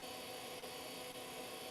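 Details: Old 386/486-era retro PC hard drive spinning up on a test bench: steady, loud whirring hiss with a faint high whine, no clicks. The drive spins but BIOS IDE detection does not find it.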